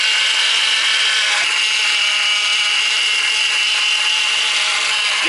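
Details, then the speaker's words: Ford BA Falcon after power steering line replacement and system bleed, long-sitting car: harsh hissing buzz with high steady whine while steering, bubbles in fluid; power steering pump cavitating on air, owner hopes it bleeds out. "i really hope it stops making that noise in a hurry hopefully it's just air cavitating so let's uh chop this back up that's a horrible sound feel the bubbles"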